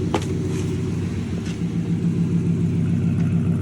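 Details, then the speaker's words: Dodge 360 Magnum V8 truck with new eBay catback, idle and light revs: deep steady burble, even firing pulse, no rasp or ticking; exhaust sounds healthy. "We'll do a couple little revs on it. And I actually really like the sound of that. Hell yeah."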